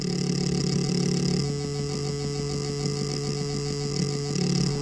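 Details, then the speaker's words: Jeep with engine off and ignition on: a steady low electric buzz with a faint quick pulse from a vibrating boost pressure control valve. The valve is faulty and leaking, causing popping sounds and a jumping boost gauge while running. "Zgaś i zostaw na zapłonie słyszycie takie buczenie coś tu sobie buczy dotykamy ręką No coś tutaj wibruje na tym zaworze"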